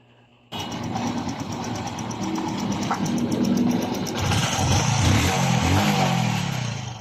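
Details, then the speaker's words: Honda RS 125 Fi single-cylinder after dismantling and reassembly to fix confirmed piston slap: crisp even running rising smoothly with throttle, no slap or knock; sounds like new again. "balik brand new na tunog ng kanyang Mac"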